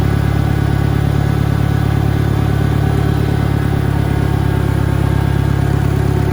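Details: 1963 John Deere 1010 tractor, original and properly maintained, at 1,000 rpm on a backyard lap; even low engine drone with a mild gear hum, no whine or grinding; normal, healthy transmission noise.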